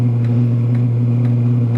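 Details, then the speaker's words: 5–8 kW diesel heater (larger version, 22 ml pump); a 1450 setting gives an air-fuel ratio of 20: steady low roar, pump ticking twice a second, horrible rough burn; lean, needs a lot more fuel. "1450 gets us air fuel ratio of 20 and that horrible noise it is making wow"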